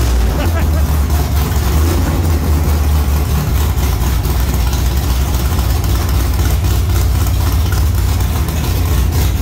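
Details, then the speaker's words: 1957 "Bad Penny" converted back to 4-speed manual with 5.57 gears and a new combo, shift test: deep even V8 rumble at idle, slight lift in engine speed at each shift, no grinding or clunks; gearbox shifts cleanly and works well. "I can hear the engine speed come up as it goes boom boom boom like it you can't even hear the shift with you the engine speed your foot's the same but you can hear it speed up a little bit a little bit a little bit it works well"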